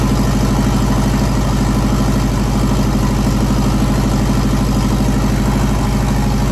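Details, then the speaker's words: JDM EJ20 turbo WRX engine swapped into a kit car: deep, steady idle with even pulse, no knocks, ticks or misses; running smoothly. "started it up again let it come up to temperature since my third time starting it now and we're gonna one smooth everything's running pretty good engine seems to be running pretty good right now"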